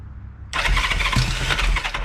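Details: 1973 Honda CB350, sat outside 18 years, first bench start on electric starter with fuel on and choke on, valves and timing adjusted: starter whirs and engine coughs with uneven firing pulses but never catches; nearly starts.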